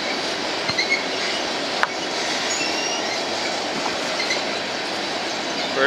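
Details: BNSF empty grain train at sunset, headed to North Dakota for reload, led by two GE locomotives: steady rush of empty cars rolling by with thin high-pitched squeals flickering in and out from a few wheels squealing against the rail.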